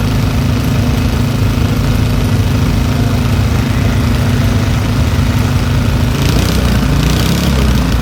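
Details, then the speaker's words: Old Briggs & Stratton single-cylinder petrol engine rescued from the trash, running after opening the carburetor needle valve; steady even low thrum, smooth enough to hold with one hand, no misses or surging — normal running. "look how smooth that is I can hold it with one hand somebody had that thrown away"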